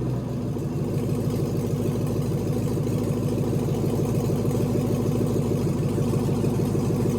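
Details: LS V8 swapped into a BMW E46, first start in chassis with newly built cooling system, warming up while coolant temp is monitored via OBD2 (reaching about 178 before fan switched on): deep steady even burble, slight rise just after start; healthy idle.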